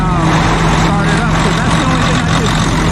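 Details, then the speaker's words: Diesel truck stuck in deep snow, finally started after new batteries and long cranking, owner suspects frozen starter: deep steady idle rumble with no misses or clatter while warming up; normal idle. "finally some trucks warming up thank god i got it started like i said that's never happened before"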